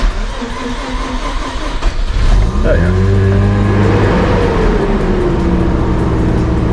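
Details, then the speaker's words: Car with a small oil pan gasket leak, last driven about 2 months ago: brief crank, catches right away, idle settles smoothly with pitch easing down, no misses or knocks; normal start after sitting. "starts no problem and other than the oil League this car has been great too actually"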